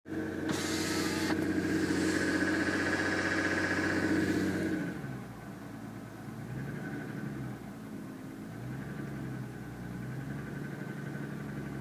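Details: 2007 Lexus ES350 V6, cold, while driving: a pronounced, steady, hollow piston-slap knock of about four beats per second. It lasts about 10 minutes after a cold start and has grown louder over 2.5 years of ownership.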